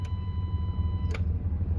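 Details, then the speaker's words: 2015 Jeep Cherokee KL with code P0480 (fan circuit 1 open), engine idling: fuse box relay clicks about once a second as fan duty cycle is commanded by scan tool, powering the blue fan signal wire; fuse box-to-wiring link confirmed OK. "and now I'm going to trigger the the duty cycle you can hear you can hear the fuse box clicking and you can see the power"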